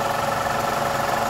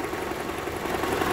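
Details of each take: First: 2012 Toyota Camry 2.5 2AR-FE idling with the AC on after a balance shaft replacement. A soft, even clatter underneath but no heavy knock. The earlier rattle is much improved. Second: 2012 Toyota Camry 2.5 2AR-FE, idling in drive on the brake with AC on: busy, even whirring rattle drone under low-rpm load, loudest by stethoscope at the balance shaft; worn balance shaft assembly.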